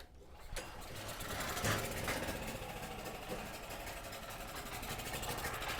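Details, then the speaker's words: Cheap used generator, 38 hours on it, bought non-running: first start after carb cleaner squirt, choke on, throttle linkage disconnected; engine catches and runs briefly with rough, uneven chatter. "I didn't hook the throttle up. But did y'all hear that? It ran."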